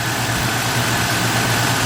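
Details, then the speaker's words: High-mileage 1996 Toyota 4Runner with a stored code, at idle around 819-820 rpm on live data: smooth low hum, no knocks, ticks or misses; engine sounds healthy. "this idle is definitely very smooth i will look up the freeze frame data on that code when it was recorded under what conditions this engine doesn't seem to be any problem definitely"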